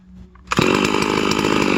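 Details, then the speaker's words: Ported Hypo 660 build chainsaw with added third muffler port and stock chain, cutting a roughly 18-inch dry log: fires and climbs straight to a high, steady scream with clean, even firing; spinning up well, healthy. "hmm she's spinning up pretty good"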